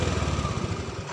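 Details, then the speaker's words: Honda Beat injection scooter with throttle position sensor unplugged: idles at stationary rpm, but revving makes it stutter, misfire and die; restarts fine, stalls again when throttled, indicating faulty TPS or broken wiring. "kalau kita gas ini dia akan mati ya kalau digas punya akan mati jadi motor hanya bisa putaran stasioner aja ya ini stasioner bisa namun kalau kita gas matik karena Hai nah atau ini merebet ya ini merebut"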